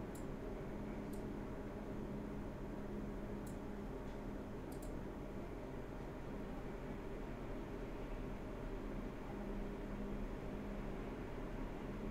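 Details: MSI RX 480 Armor OC 8GB graphics card under fan noise test: soft steady whoosh with a faint low hum, no ticking, rattle or rising whine; fans running quietly and normally.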